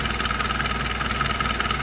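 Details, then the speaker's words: Chevy 2.2 four-cylinder at warm idle after a cylinder head replacement: quick, light, even ticking from an exhaust leak. The manifold is not leaking; the leak may be behind the coil block but sounds louder back by the EGR or under the intake, exact spot unclear. "So my only problem is that exhaust leak. Stupid exhaust leak. Not the manifold. Maybe behind the coil block, but seems louder back by the EGR"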